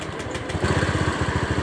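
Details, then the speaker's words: Honda Scoopy scooter that was hard to start, now starting and settling into a steady, even idle after its injector was cleaned; spark plug change had not helped, fuel pressure normal at 40. "Hidup, Teman-teman. Enak ini. Coba kita gas. Normal, Teman-teman. Sudah normal."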